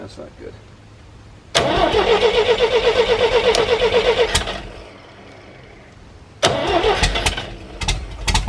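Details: 1973 GMC 432 cubic inch V6, out of a truck, sitting unstarted almost 5 years, trouble pulling fuel: steady cranking about four turns a second without firing, then next try catches ragged and runs.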